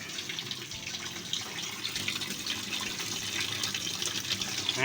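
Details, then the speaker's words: Washing machine water inlet solenoid valve fitted with a swapped 220 V AC coil, start/stop tested after the coil change: water gushes in strongly and evenly with no chatter or buzz; the valve opens and works normally. "ใช้งานได้ปกติครับเนี่นะเพราะว่าตรงเนี้ยตัวคอยตัวนี้นะครับเป็นคอยไฟฟ้า220โวลต์เหมือนกันนะครับ"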